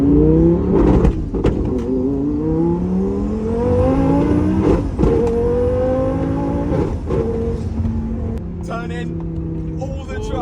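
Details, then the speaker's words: Lamborghini on a drag strip run, short-shifting first into second under hard acceleration: engine note climbing but stumbles and breaks up briefly mid-rev with flames; misfire under acceleration, part of several mysterious faults. "Oh, it sounds like we're missing a bit. Oh, no. Flames though. Yeah. Sound like we just had a bit of a misfire then as we were going up"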